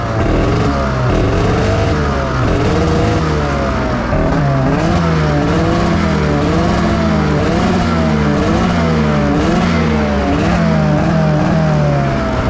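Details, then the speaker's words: 2005 Arctic Cat Firecat F6 snowmobile: revs surge and fall in a repeating pattern but stay low (around 3) and never climb, with intermittent clicking; primary clutch stuck on worn rollers, sled creeping about 8 km/h. "so now it's still only running at like 3 cuz it's stuck but it'll sometimes click and unclick that's those rollers right so it sits on those rollers and then that's kind of what happens"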